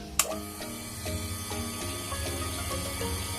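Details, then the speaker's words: Water pump after replacing a worn noisy bearing: starts and runs with a steady, even hum, no grinding or rumble; noise gone, repair successful. "suaranya sangat clean sekali, sudah nggak berisik lagi."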